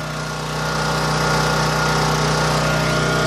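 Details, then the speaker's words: New Champion 9000 W dual-fuel generator 100165, 439 cc single-cylinder engine, zero hours, first start with no load, about 246 V and 61.8–61.9 Hz; steady even fairly loud drone, constant pitch, no misses or hunting, normal. "this is a computer safe generator so I don't know how well you can hear it it's fairly loud I would say it's a decibel rating is probably accurate"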